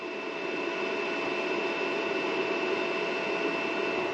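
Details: Harbor Freight Viking 56796 charge-and-maintain battery charger charging an Allis Chalmers D17 battery: steady soft whoosh of air with a faint constant tone, no rattle or wobble; the charger's built-in cooling fan running normally.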